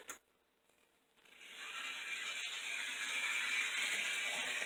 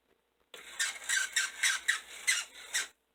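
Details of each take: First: Old model locomotive (060) motor after oiling the bottom bearing and refitting the shell: even, steady high whir with no grinding or rattle; quieter in forward motion, repair successful. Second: Old model locomotive (060) motor after adjusting the brushes: high, rapid chirping squeal pulsing about four times a second; dry bottom bearing needed oil.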